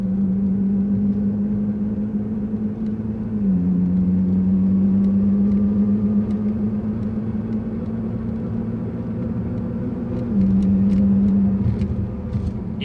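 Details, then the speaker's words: Nissan GT-R after hard drag-strip launches with transmission warning lights, cruising: steady engine drone stepping up and down on its own; power going to front tires when it shouldn't, torque split not smooth, ETS all-wheel-drive unit suspected, needs rebuild. "um but that's what it's doing so it's something with the all-wheel drive thingamajig the thingamajig the technical term is the all-wheel drive thingamajig here's a better example of what it's doing"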